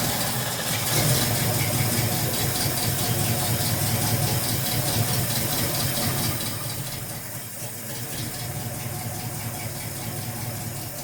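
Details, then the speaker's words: 1971 Ford Mustang Sportsroof with a 351 V8, out of commission for 14 years, fuel pump apparently dead, running on 50:1 two-stroke gas: an even, steady V8 rumble at idle with a brief rev, no knock or misfire; runs smoothly, normal running. "Runs like a sewing machine. I hope it's got more horsepower."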